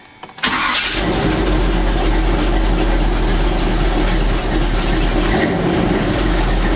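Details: Warm restart of a 1984 Chevy C10 V8 truck after the header exhaust leak causing a tapping noise was fixed: it cranks, catches quickly and settles into a steady, even idle with no exhaust ticking left.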